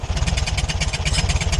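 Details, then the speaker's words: Air-cooled VW Beetle idling, after a new alternator bearing: tinny metallic rattle about eight times a second, locked to engine rhythm, traced to the loose tin cooling shroud near the pulley. "É a blindagem. É a latinha da blindagem ali. Então é galho fraco, galera."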